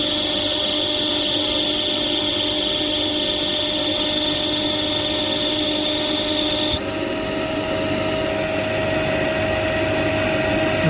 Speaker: तो ये साउंड जो रहता है ना वो बेल्ट लूज होने पर जो बेल्ट घूम नहीं पाता है तो बेल्ट के प्रोड्यूस करता है ये साउंड